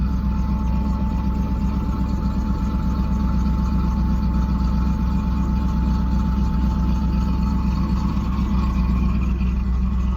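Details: 1991 Camaro V8, cold start after sitting a while, newly done exhaust: deep steady burble settling into an even idle, no knocks or ticks.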